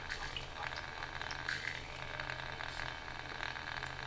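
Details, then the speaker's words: AliExpress water-cooling pump in a PC loop with a 140mm radiator, at idle after boot: a soft low hum under a constant gurgling hiss with faint high chirps. Owner calls the pump quite noisy and plans to replace it. "isn't it annoying this noise yeah that's what pump noise makes"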